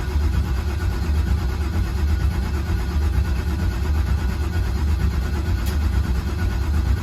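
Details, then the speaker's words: LS-swapped Chevy C10 cranking on the starter with fuel pump unplugged so it won't start, just building oil pressure after fresh oil; steady low even churning, no firing, no knocks; normal cranking before first fire. "all right so right now i have the fuel pump unplugged so it should not start i'm just looking to build some oil pressure"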